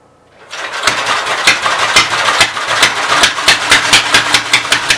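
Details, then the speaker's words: Westchester engine turned by belt-driven starter generator catches after half a second, then runs ragged with uneven pops about twice a second on full choke after a timing bump; still needing ~3/4 choke signals remaining issues. "It's either a dead battery or who knows. It's kind of running. Running on full choke."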